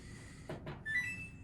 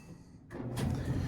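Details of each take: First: Samsung dryer DVE45T3200W/A3 that won't run, power verified: after a button chirp a loud steady electric hum starts but never winds up, possibly a motor or blower problem. The first check is down the lint trap. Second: Samsung dryer DVE45T3200W/A3 after a sock stuck in the blower fan was removed: a click, then a low, even drum rumble builds with no scraping or thumping; normal dryer running after the fix.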